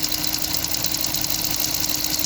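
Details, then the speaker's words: Hemi V8 idling, already inspected by a dealer: a fast, even, sharp ticking over the engine. Owner believes it is loud fuel injectors, especially cylinder #1, rather than cam or lifters; suspected, not confirmed. "classic injectors sound kicking sound so yeah i mean a lot of you guys commented below and i think that's the situation right here"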